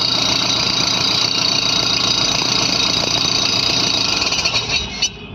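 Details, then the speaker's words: Running engine: constant high-pitched whine with a rapid uneven rattle from the alternator, which shows rub marks; something rubbing inside the alternator. "यह alternator से आवाज आ रही alternator पर निशान भी है"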